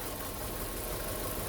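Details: Hyundai Getz mk1 1.3 12V that lost power, with two dead cylinders and spark confirmed present, idling during a plug-lead pull test: rough, uneven, lumpy stumbling idle; misfire at idle on two cylinders, cause not yet found.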